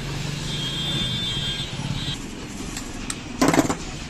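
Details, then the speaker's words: Small 1 hp/0.5 hp domestic water pump motor after reassembly with bolts tightened evenly; the loud noise is now negligible, a low steady hum with no grinding or rattle, and water circulates properly: normal quiet running. "आता testing करूया आता आवाज येतोय का तर पहा आवाज पहिल्यापासून एकदम नगण्य झालेला आहे वॉटर पण व्यवस्थित फिरत आहे"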